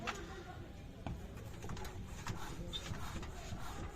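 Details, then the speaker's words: Mercedes W203 rear after treating chronic squeak: only dull body thumps as the car is rocked, no squeak; the squeak was traced to the anti-roll bar rubber bush and sprayed with squeak silencer, with no play found; bushes to be replaced if it returns. "Evet arkadaşlar bilginiz olsun tekrar yine ses yaparsa değiştireceğim onları yani boşluk yok çünkü herhangi bir boşluk yok"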